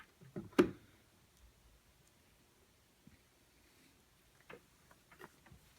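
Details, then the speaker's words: Tube guitar amplifier: one sharp pop then faint scattered crackles as bias on a power tube spikes rapidly toward 35 mA; bad power tube found by bias meter check. "okay you can see it's spiked and you can hear the pop or maybe you can't but it's popping and it's rising pretty fast"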